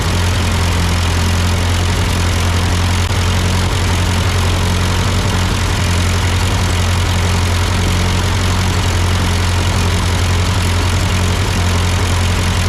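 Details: Ford 8N tractor idling after an amateur carburetor adjustment. Uphill sputtering had been traced to a cheap Chinese replacement carb; an old Marvel-Schebler ran fine. Deep, steady idle thrum with an even rhythm and no stumbles or surging; a normal idle.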